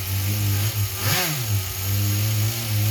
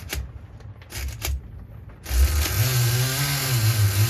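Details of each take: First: Small RC nitro engine with a single needle carb, just retuned: steady, high buzzing idle with one brief blip that settles straight back, now idling evenly, where moments earlier it sounded crazy. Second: Nitro RC engine being retuned toward a steady idle: after a few clicks it catches and runs with a wavering, hunting pitch that won't hold steady, so it is running rough; low compression is suspected, possibly needing a repinch or replacement.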